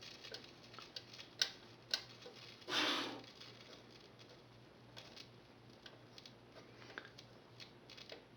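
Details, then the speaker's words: 1939 Motorola Model 52-T1 tube radio, first power-up test after bypassing the switch, no antenna connected: scattered sharp crackles and pops over a faint low hum with a burst of static from the speaker, no station received; number 80 tube lit and warm. "oh i know what it is i haven't got an antenna hooked up either so i may hear some crackling but yeah there is some crackling going on"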